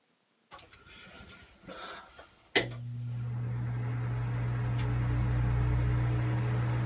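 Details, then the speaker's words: Bathroom exhaust fan after replacing its dusty motor: after some handling clatter it spins up to a smooth, low, steady hum with no rattle or grind; normal running. "Alright, nice and quiet."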